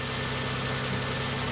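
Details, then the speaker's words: 2000 Lexus ES300 V6 bought with a reportedly dead transmission, engine started right up: smooth even idle hum with no ticking, knocking or misses; normal idle, engine runs really well. "Engine sounds good. It started right up and it runs really well."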